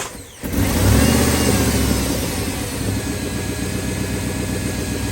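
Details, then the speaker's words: Jeep WJ after the accessory drive pulley bearings were greased: the engine catches and settles into a smooth, even idle with no chirp or squeal; the chirp is gone. "No more chirpy bird."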